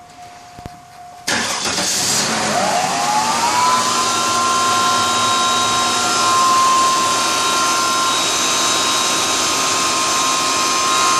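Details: 2001 Cadillac DeVille screeching at startup: engine cranks and catches, then a high squeal rises in pitch and holds steady over the idle; cause unknown.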